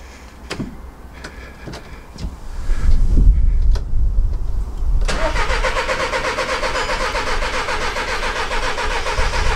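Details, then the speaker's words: VW Caddy diesel van cranked after a new part, battery refit and priming: steady, rapid starter churning for several seconds, never fires; crank no-start, cause not yet confirmed. "still getting the same issues try one more time then we'll get the old OBD on there"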